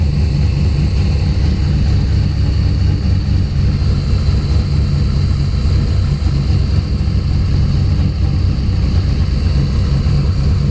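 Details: Loud, deep drone with an uneven, lumpy rough idle. Spark was restored by moving the coil wiring loom. Fuel pressure was 50 after prime and over 60 during prime. The engine sneezes fuel and runs really rich.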